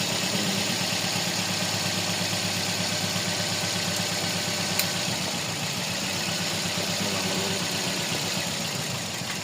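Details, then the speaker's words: Toyota Vios petrol engine with code P0354, cylinder 4 misfire at idle: uneven, loping stumble; ignition coil and injector 4 suspected. "Issue ngos dito ay missire number four. Yung ignition coil niya kasama ang injector."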